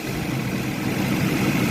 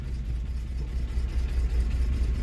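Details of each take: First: Classic auction car with a small four-barrel carburetor, a marking reads 3813 while dash suggests 303; short stretch of even low-hum idle under the hood, no knocks or misses, running good. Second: Automatic classic car at auction, 257,000 km, rusty, possible exhaust leak: low, lumpy idle with an uneven beat that sags and stumbles until the engine dies; suspected to be carbureted rather than injected, cause unconfirmed.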